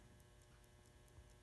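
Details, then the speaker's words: 1970 Cutlass Supreme clock after its flywheel was lubricated: crisp, even ticks at about 4.5 per second over a faint mains hum, with a louder tick now and then as the self-winding solenoid fires; the clock runs normally. "so if you listen carefully you'll hear the clock Pepa louder tick than all the others at some point in its operation and that is actually the solenoid activating"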